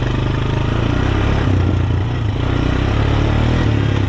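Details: Honda TRX250TE Recon quad after full rebuild (head rebuilt, rod bearing replaced), breaking in while riding: steady, even single-cylinder beat pulling along with no knock or clatter; bottom end sounds healthy and tight.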